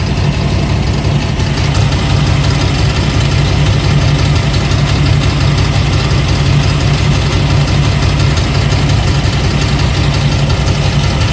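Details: LT1 Camaro engine idling loud and heavy with a loose, irregular rattle at roughly three beats a second over the low rumble; the source of the rattle is still unidentified.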